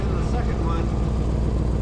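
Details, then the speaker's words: 2000 Chevrolet K2500 3/4-ton service truck at idle after manifold exhaust leaks were fixed: deep steady rumble with soft rhythmic puffing from a big leaking gasket at the first catalytic converter joint, spitting condensation; exhaust leak. "so the manifold exhaust leaks they're they're nice we're good to go up here they were so loud though before that I didn't realize we've got another huge exhaust leak under here right there between where the Catal first catalytic convert is and"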